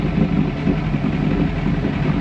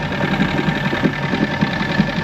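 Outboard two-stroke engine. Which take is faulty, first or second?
first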